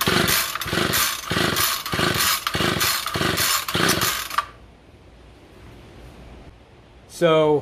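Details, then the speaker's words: Two-stroke weed whacker run on non-Amsoil oil with Ethanol Shield, about 5 psi compression against 12 psi for the Amsoil unit: a raspy buzz surges in uneven pulses for about four seconds, then drops off, sounding tired. Low compression suspected. "so the amsoil one is about 12 psi uh the non-amsoil that was run with the ethanol shield is about 5 psi"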